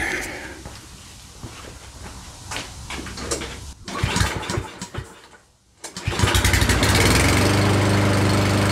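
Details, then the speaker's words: Certified self-propelled push mower that sat over a year and wouldn't start, running on starting fluid sprayed into the carb throat: it catches, nearly dies, then picks back up unevenly; rough running, found to be a partly clogged carburetor main jet. "all right guys so uh the engine wasn't running as smoothly as I'd like to"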